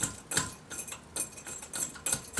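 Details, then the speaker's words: Harbor Freight abrasive sand blaster (item 68994), empty pot rocked: irregular light metallic clatters about three a second from stub legs held by thin cotter pins; rattle goes away when the pot is loaded with media. "I mean, it's so thin, it's cheap, and it's really wobbly. So I mean, I don't know if you guys can hear that,"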